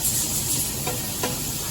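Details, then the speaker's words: 2007 Honda Civic AC replacement, with the lines and condenser being flushed of black debris ("black death"); constant high, airy hiss with a couple of brief spurts as solvent is pushed through; no mechanical noise. "I don't know if the iPhone's catching the noise, but he's flushing it."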